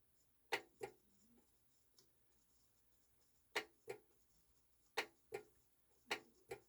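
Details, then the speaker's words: Technics SL-D202 turntable needing service: sharp paired clicks about every second in a quiet room with no movement after; auto-stop solenoid firing but not doing anything. "I can hear the solenoid [Laughter] firing. I think I can hear it firing, but it's not doing anything."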